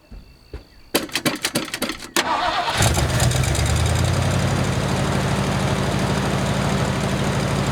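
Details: 1979 Ford F150 with modified 351, long abandoned, new carburetor, fuel filter and fuel line, first start running off the tank: a few starter cranks, then catches and settles into steady, even idle with no knocks or misses.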